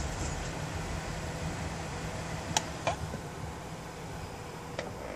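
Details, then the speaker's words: OCZ ZT series 750 modular PSU after fix for failed thermal fan controller that ran fan at 100%; low steady airy hush, faint bearing murmur, slow near-silent fan with good airflow. "you can see it's fairly silent this fan happens to have a little bearing noise but you can hear it coming along but it's nothing like it was and there's definitely a good amount of airflow coming out of there"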